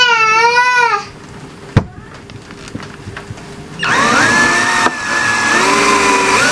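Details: McCulloch Classic 12V cordless drill after a battery repair (2000mAh cells, universal 12V BMS added), tested at high and low speed (rated 285–850 rpm): a high motor whine that swoops with the trigger, then runs steady and even. Runs normally.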